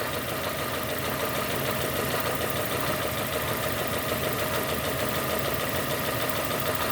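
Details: 2002 Nissan Almera N16 with a QG18 cable-throttle engine, misfiring after a spark plug change; the injector control wire is being scoped, and the cause is two swapped coil connectors. A rough, lumpy idle with an uneven stumbling beat instead of a smooth hum.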